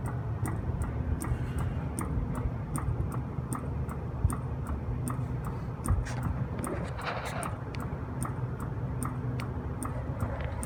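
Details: Copeland compressor pumping down after a CoreSense swap (relay stuck open), an oil drain and a drier change for acidic oil: sharp, even ticking about three times a second over a low hum.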